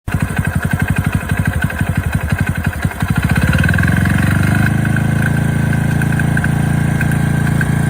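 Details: Honda Benly 50S single cylinder at idle: a loose rattling knock on every firing, then it revs up and smooths. The likely cause is crankshaft play, and the noise was apparently cured by replacing the crank.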